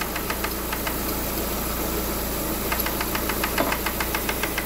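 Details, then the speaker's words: Lada Granta idling, engine mount removed for access; light, sharp ticking about twice a second from a loose camshaft position sensor striking the gear, earlier wrongly blamed on hydraulic lifters; loose mounting or the sensor itself to be replaced. "Ну вот он стук а стук друзья сейчас вам покажу откуда идёт вот здесь вот стоит датчик положения распредвала и вот вот он друзья и стучит об шестерню"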